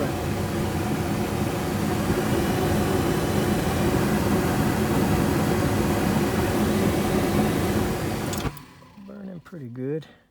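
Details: Rheem Corsaire gas furnace after replacing a broken igniter: burners a little slow to fire up, then a steady even roar with a faint hum underneath. Stable flame, furnace running normally.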